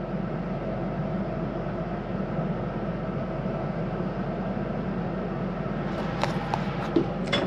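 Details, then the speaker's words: 2022 Highland Ridge Mesa Ridge 354MBH RV furnace, heard from the hallway. After the heat cycle the blower keeps running for a few minutes before shutting off, as designed. Steady, even fan rush with no rattle or scrape; normal run-on. "You hear that as I come down the hallway, continuing to run for a few minutes."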